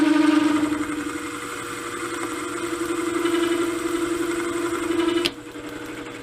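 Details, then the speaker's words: 3-inch rough boring head with R8 shank and indexable boring bar, repaired after major defects: chatter at deep cut earlier, but once into the heavy cut it runs with a steady, even cutting tone and no rattle or chatter. "well why we were getting that chatter once we got down in some heavy cut there the chatter went away"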